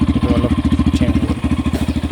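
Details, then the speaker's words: Yamaha FZ-S single-cylinder bike at about 9,955 km, before its 10,000 km dealer service: idle pulsing about twelve times a second with a coarse, rattly edge; owner calls it cracked and unclear, to be checked at service, cause unknown. "মানে অলপ ফটা নিচিনা চাউণ্ডটো ওলাই আছে। শব্দটো আপোনালোকে শুনিব, কেনেকৈ শুনিছে। চাউণ্ডটো ইমান ক্লিয়াৰ অহা নাই, চাউণ্ডটোৰ কাৰণে অলপ এইটো ছাৰ্ভিচিঙত গৈ দেখাব লাগিব।"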